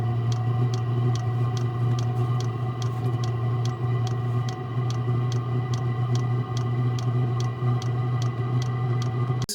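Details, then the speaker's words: Chinese-clone Eberspacher diesel heater on its fastest run mode, heating a house pipe and pressure tank box from 51F to 81F. Steady combustion roar with crisp even fuel-pump ticks, two or three per second, no exhaust smoke; normal full-power running. "Noise gets louder and louder as unit combusts fuel at tempter. Diesel Heater running, Ticking and Jet engine noise."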